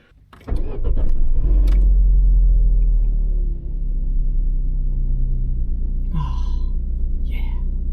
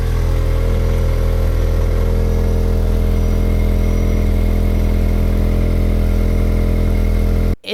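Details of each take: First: Opel Corsa B after replacing the rusty exhaust pipe between catalytic converter and back box: catches quickly, flares to a loud even rumble, then settles to a steady smooth idle with no rattles or blowing; normal start. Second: Corsa B with a rusted-through one-piece pipe from the catalytic converter to the back box: loud, raspy, blatty exhaust with a deep low drone at steady revs. Exhaust leak before the back box.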